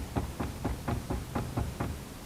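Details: Used Lada Niva 4x4: eight dull metallic clunks at about four a second as the driveline is rocked by hand, from play in worn cardan U-joints; this driveline play causes knocks when pulling away or shifting.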